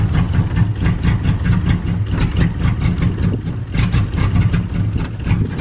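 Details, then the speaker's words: Jeep after a head gasket sealer treatment idles low and lumpy, sagging every couple of seconds and about to die; the gauges drop out and the battery seems dead. Cause suspected, not confirmed. "not sounding good man it's not sounding good it's gonna die it's done man"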